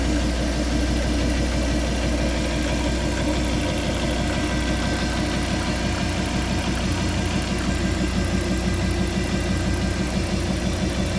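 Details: Fiat Coupé 20v Turbo at steady idle: strange uneven, clattery beat of roughly three per second over the low rumble; cause unclear.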